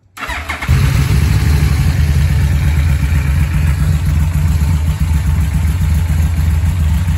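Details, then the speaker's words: 2006 Yamaha VMax just acquired by trade: fires instantly and settles into a deep, even, steady idle with no misses or knocks; idle sounds really good. "So again, doesn't sound too bad. Idle's really good."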